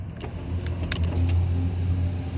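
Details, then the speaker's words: 2007 Chevy Tahoe passenger power window working after a switch fix, with an installed relay heard clicking. Sharp relay clicks over a steady low motor hum as the glass travels; the window is working normally. "Oh. And it works. Sweet. You can hear that relay clicking that we installed."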